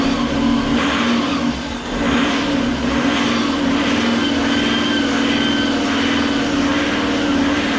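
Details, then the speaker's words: Fiat Marea 130HLX, sat in a workshop for years, first restart after code light cleared: revs swell and dip every second or so over the idle, running up and down; owner suspects something left off; hunting idle, cause unconfirmed. "Well, you know, you can't win them all, but it runs up and down, up and down, up and down. It's probably something I've left off."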